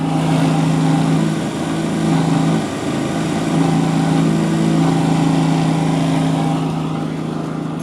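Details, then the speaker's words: Land Rover Series 3 FFR heater blower motor during a heater matrix job: loud steady hum with a rattling buzz at one speed; motor spins fine, owner suspects it resonates against the top of the footwell. "The other thing I was just going to look at while I was here is this has got a horrible vibration in it. Now, it looks like the motor's spinning fine. It sounded really unhealthy, but it seems like it's okay, but I think it's reverbing off something."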